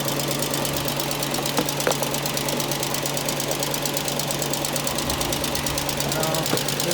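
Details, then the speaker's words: Petrol engine started after sitting a long time, blowing some smoke, idling with a fast, even loud ticking over its low hum; owner notes these engines tend to make this noise and hopes it quiets down. "loud picking here sure you can hear that I'm a little concerned about that but I know that these have a tendency to make a noise"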